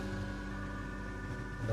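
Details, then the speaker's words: Cheerlux C9 mini LED projector whose owner complained of a blurry screen and noise, after servicing and polarizer replacement: soft, steady cooling-fan hum with even tones, no rattle or grinding, fan spinning fast, now quiet and normal. "bagus, udah nggak kedengeran apa-apa lah, putaran kipasnya udah kencang juga."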